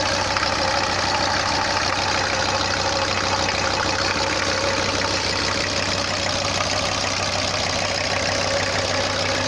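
Even, steady diesel idle with a smooth clatter and no knocks or misses; the engine is running healthy.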